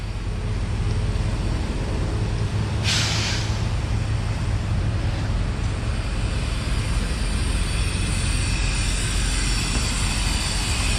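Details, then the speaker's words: Flatbed truck trailer at idle, found during morning pre-trip along with a flat tire: constant thin hiss and a sharp burst of escaping air over a steady diesel idle; blown, ripped trailer air suspension bag, other bag not holding pressure. "hear that air leak. We got a blown airbag, all ripped and torn. Air coming out of it."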